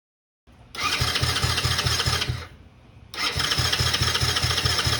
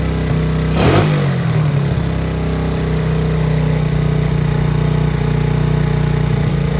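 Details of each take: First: 2009 Coolster 125cc ATV stored 9+ years: two bursts of fast rhythmic starter churning with no catch, so it cranks but won't start; debris later found in the carburetor. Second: 2009 Coolster 125cc four-wheeler (Honda-clone engine), stored 9+ years, an estimated 5,000-plus miles, after new battery and coil and poor-condition carburetor attention: starts, blips once, settles into steady even idle without knocking; running.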